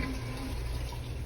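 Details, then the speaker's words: Fleck 2850 water softener after repair and timer reset, second regeneration cycle: steady low rushing and gurgling with strong, even suction pulling salt water up; brine draw is normal. "hear it nice strong suction which means it's going to pull that salt water up"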